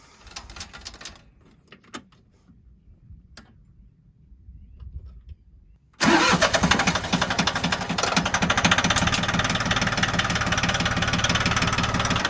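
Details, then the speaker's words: John Deere 750 tractor diesel first started after water pump replacement and refilling with 50-50 antifreeze, checking for leaks; quiet, then it fires and settles straight into a steady, even idle clatter. Normal diesel idle. "Okay, now we're ready to fire it up and see if we got any leaks."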